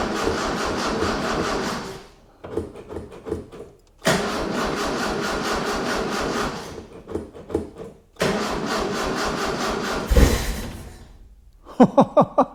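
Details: 1976 Mitsubishi Galant hardtop, 2.6 L Astron, fuel squirted and accelerator pedal now connected: three long cranking spells, then one sharp pop; fired once so spark confirmed, fuel delivery from tank uncertain, battery seems weak.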